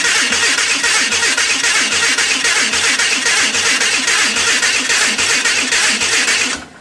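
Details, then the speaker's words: Hudson rat rod gasoline engine cranking, distributor twisted too far: steady starter cranking about four turns a second, never fires; cranking no start from incorrect ignition timing. "wait a minute that might help try again okay i had twisted distributor hell too far i'll try again"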